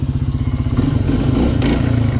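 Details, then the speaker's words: Polaris Hawkeye 300 4x4 ATV while riding: rapid, loose rattling clatter over the single-cylinder beat; suspected CVT variator rollers, possibly with a worn belt, unconfirmed. "That sound is a bit worrying, but it could be caused by the variator rollers, especially if the belt is worn."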